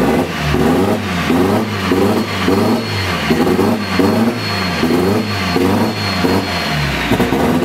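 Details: Nissan SR20DET, first start after standing 1.5 years: uneven, surging note with rev blips about every half second, stumbling rather than pulling smoothly. Running rough; start map and ignition timing are known to be set wrong.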